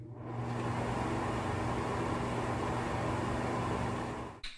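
Smooth, even whir with a steady low hum and no ticking or rubbing; the fan runs clean, then it is switched off.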